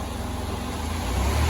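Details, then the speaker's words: Van with repaired 400 engine, about 420,000 km, warm idle after repair; steady even hum with cooling fan whoosh rising over it, residue burning off, sounds good. "at least we know the fans come on she sounds good"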